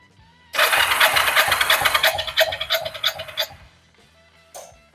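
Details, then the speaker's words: Kawasaki Vulcan 500 compression test after valve adjustment, throttle open: three seconds of strong, regular starter cranking, about three pulses a second; compression up to 11 kg from what was recalled as about 8.5 before, healthy. "estamos 11 kg y estábamos antes creo recordar que 8 y medio nu O sea que ha mejorar bastante la moto"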